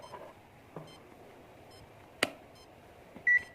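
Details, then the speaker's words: Servo tester with its potentiometer removed, output wired to a brushless motor ESC; faint short high beeps repeating about once a second from the speed controller, meaning no throttle signal. "Nah, ini karena potensionya dilepas. Jadi di motor blasternya akan bunyi seperti apa? Berlaser apa? Bunyi tit tip begitu."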